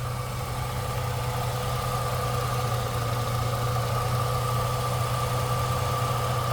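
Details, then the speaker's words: 2004 Jeep Liberty at idle with the oil pressure light on: smooth, even idle with a steady low hum and no tapping or knocking; the motor judged healthy despite the light; it starts, runs and drives well. "Um, and so the reason I'm not concerned about that light is because that motor is running so well. Um, and because it it sounds good. It starts good. It runs good."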